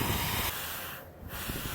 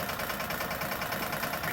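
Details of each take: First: Old air compressor, rated to 100 psi, just rewired, never reaching cutoff or shutting off: steady airy hiss over the compressor hum, dipping a few times; air escaping on the tank plumbing, leak stops when a fitting is pressed down. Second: Old air compressor just rewired, first run with power connected: steady, even pumping throb with no sparks, popping or arcing, building toward its 100 psi cutoff. An air leak had kept it from filling and shutting off.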